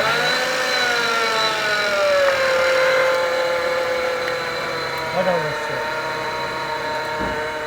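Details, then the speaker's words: 2006 Renault Modus 1.6 engine idling with a steady whining whir on top; the air-conditioning compressor bearings are worn and noisy and need overhauling by an auto electrician. "aracın klima kompresöründe problem var arkadaşlar kompresör bir ya da dağınık aracın elektrikçiye gidip klima kompresörünün bilyalarının revizyon olması gerekiyor"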